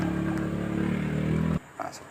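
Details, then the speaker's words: Honda Beat scooter starter motor, bench-run on a battery after servicing, with the brushes reassembled and the bushing greased: an even, fast whir holds one steady pitch for about 1.5 seconds and cuts off cleanly; the earlier rough grinding and slow spin are gone. "itu ya suaranya sudah halus teman-teman kemudian putaran mesinnya sudah cukup kencang Oke suara kasar atau suara ngekeknya itu sudah tidak ada lagi"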